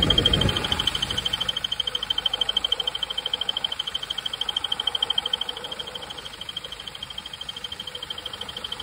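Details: BMW 320d F30 N47D20 diesel at idle: a high chirping squeak about three times a second, louder with the AC compressor running; belt, water pump and tensioner were replaced without success, and replacing the crankshaft pulley fixed it.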